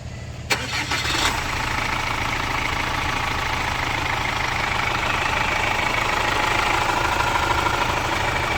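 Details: Captiva FL diesel after repairs, including oil leaking into the coolant via the oil cooler, new Sedelco tensioner and fan belt, and a pulley damper problem: a short crank catches quickly and settles into a smooth, even idle with no rattle or squeal.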